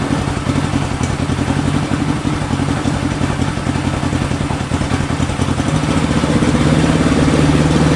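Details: 1965 Honda CB77 Super Hawk 305 twin, sat 20 years, running after carb cleaning, fresh fuel and a battery, without air filters. Steady, even idle with a firm exhaust beat that picks up slightly near the end; runs fine.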